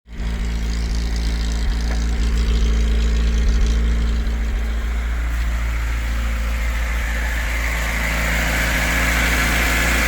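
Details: VAZ 2104 (Lada) cold idle: steady rapid knock over low rumble, present only when cold and gone fully after warm-up; owner suspects connecting-rod bearing knock, cause not yet confirmed.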